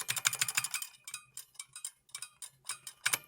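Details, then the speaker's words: Brand New Model F buckling-spring keyboard: uneven sharp clicks with one key giving a dull off click unlike others; poorly seated spring suspected; off-sounding key click. "That sounds like shit. What's going on there?"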